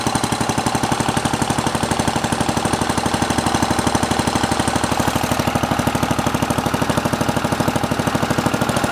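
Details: Simplicity 7010 lawn tractor, single-cylinder engine just restarted after head removal and spark plug replacement (old plug sparked intermittently): loud, raspy popping chug about three beats a second, harsher than normal; muffler rotted with holes, leaking exhaust, needs replacing.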